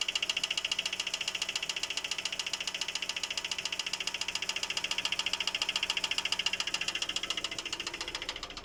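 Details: GAZelle Next Evotech engine: sharp, even ticking knock about three and a half per second riding steadily over the idle; knock source not pinned down.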